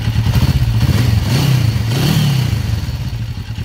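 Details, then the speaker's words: 1994 Kawasaki Vulcan 500, 12,266 miles, second start in 3 years after oil and filter change: lumpy slightly uneven low thrum with valve clatter, idling well; just a noisy little engine. "i think that sounds good it's idling really good"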